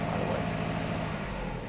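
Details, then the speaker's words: Poorly four-cylinder car engine at idle for an on-car brake booster vacuum test: uneven, lumpy stumbling idle instead of smooth hum, one cylinder not firing, running on three; engine misfire. "What you need to do is start up the engine, and this is a poorly engine. Three cylinders. It's supposed to have four,"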